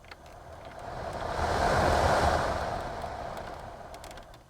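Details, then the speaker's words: Toyota Tundra first gen (2000-2006) blower motor, removed and spun; no cabin air filter, owner suspected debris caused an intermittent AC squeal: smooth even whoosh coasting down, only slight motor drag, no scraping; blower healthy. "there's no uh abnormal noises it sounds like it's dragging a tiny bit but I think that's just normal cuz there's the electric motor in there"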